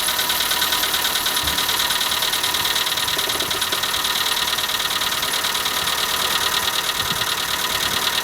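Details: Skoda Fabia valve-train ticking at cold idle in the morning: fast, regular light tick about three per second from the top end; noise unchanged after the dealer replaced hydraulic lifters three times (3, then 1, then remaining 12).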